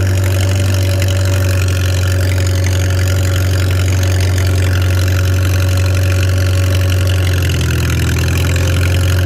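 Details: Farmall 300 Row Crop, 600-hour tractor, test drive after exhaust manifold replacement (original rusted through) and clutch adjustment, camera on chest rig; steady, even low rumble, smooth unchanging beat, no knocks or misses; running healthy, TA working.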